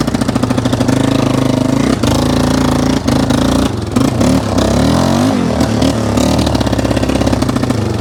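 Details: 1995 Yamaha Wolverine 350 ATV, brought in for crank-no-start after a backfire: steady mid/half-throttle drone breaks up with dips every second or so; idle and full rev fine, flooding rich; suspected too much fuel, plan to lower carb needle.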